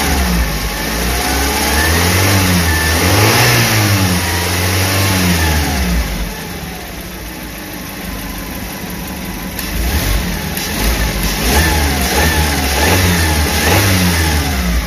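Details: Suzuki New Carry after overheating repair and timing chain install, warm: engine climbs and settles smoothly through several throttle blips, no knock or misses; revs freely.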